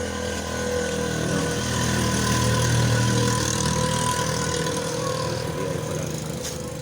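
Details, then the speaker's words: Rusi 110 single-cylinder motorcycle that misfired and struggled uphill because of a loose spark-plug cap socket, fixed by packing it with wire: now a steady, even putter at about four beats a second with no misses. "So ngayon okay na siya good na siya Hindi na siya pumapalya So tuloy-tuloy na angb nito"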